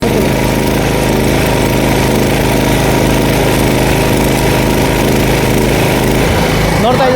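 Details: Super Steel 6 kVA petrol welding generator running: steady fast engine buzz holding one even speed without hunting or misfires, current output steady; normal running.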